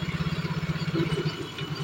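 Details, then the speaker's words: Yamaha Mio J / Soul GT scooter that is hard to start and stumbles with unstable idle rpm; steady idle pulses turn uneven and stumbling once the portable gas sprayed at the air filter intake is withdrawn, indicating a lean fuel mixture. "jadi begini mas ketika motor kalian bbet ya lalu kita hembusin gas seperti ini kok Dia normal berarti tandanya itu motor kurang BBM ya"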